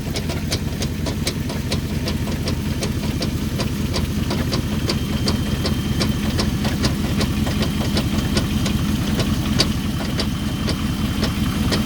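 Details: 2005 Chrysler 300C petrol engine at idle: sharp, steady knock ticking about two to three times a second.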